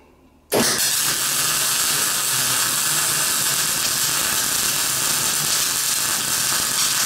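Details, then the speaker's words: Welding a classic Mini shell roll-over jig on uncleaned painted metal: harsh crackling sizzle with irregular pops from paint spatter, which changes once the paint has burned off. "So you can hear that spatter, that's the paint."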